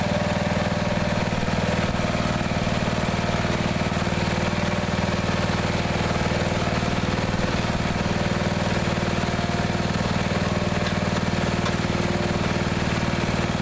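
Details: Neglected riding mower after repair, fresh gas, fuel shutoff, filter and hose clamps redone, started on jumper pack due to weak battery: smooth, regular single-cylinder beat at steady speed, no misses, knocks or surging; now runs perfectly.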